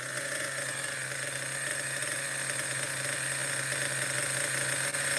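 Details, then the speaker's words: Schumacher XTR-3E nitro stadium truck on first fire-up, engine still very cold: high, buzzy steady even idle with no stumbles or surges; settled, proper runner, idle a little average. "very cold I think it's settled down a little bit now this is a proper Runner idle is a little average I would say"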